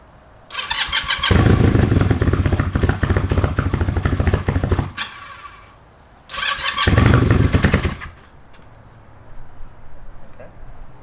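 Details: Kawasaki KZ440 after starter motor repair and a recent tune, petcock on, fueled and oiled: catches quickly and runs with a steady beat, blips again after a pause, then settles. Starting and running fine.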